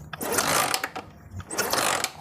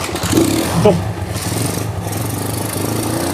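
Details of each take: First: Honda Megapro motorcycle that is completely dead, with a replacement CDI fitted by the owner: two rough, rattling kick strokes with no firing, and no spark at the coil wire or plug. It cranks but won't start. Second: Honda Megapro motorcycle that was totally dead with no spark: the engine catches after quick blips and settles into a steady, even idle while running a new test CDI. A broken wire or the original CDI is suspected.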